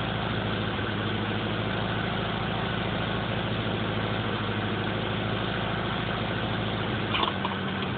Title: Sr20 weird idle/misfires